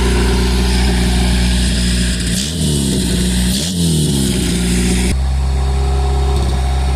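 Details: Custom Honda Civic exo build engine, after an earlier no-run where a bad distributor was suspected, it just needed gas: revs cleanly up and down, pulling evenly with no knocks or misses under music.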